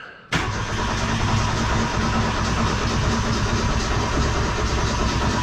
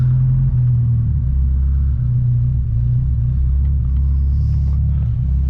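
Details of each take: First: 1972 Ford Pinto, freshly restored Motorcraft carburetor just installed, in neutral: the starter cranks steadily for several seconds with an uneven low chuff while fuel fills the carburetor. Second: 1972 Ford Pinto, cold start after a few pumps of gas, in neutral, carburetor not yet rebuilt: a deep, steady rumble held at a fast idle. The owner suspects a bad spring in the Motorcraft carburetor.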